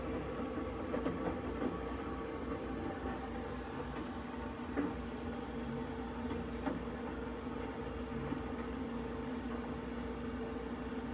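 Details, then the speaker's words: Boiler firing after a recent power flush: low burner roar with sharp cracks and bangs every few seconds, temperature rising quickly from 16 to 56 then cutting out; heat exchanger judged failing, replacement planned. "on that one you could hear the P exchanger crashing and banging around uh so yeah it definitely needs a new heat stranger"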